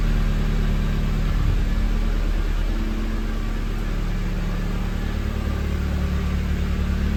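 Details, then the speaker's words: Hotwired NB Miata with 124,000 miles, first run: steady low drone rising and falling cleanly with throttle, no knocks or misses; sounds healthy, judged worth saving. "well y'all I just hotwired my first car at the age of almost 40 not going to last it sounds pretty healthy"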